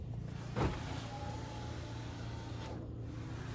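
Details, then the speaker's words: Astra G Bertone convertible, window actuation test run from a diagnostic tool: a click, then a smooth motor whir that stops cleanly, power window working normally. "and then close. There we go. And the front ones also work."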